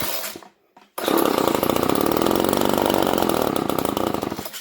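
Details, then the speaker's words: GTI 15T string trimmer after new 2mm fuel line, carb adjusted and cleaned: catches and buzzes a few seconds without building revs, then stalls; spark present, fuel starvation traced to the carburetor. "Well, we know this thing getting spark because it's firing. So because it's not staying running, that means there's some sort of a fuel issue."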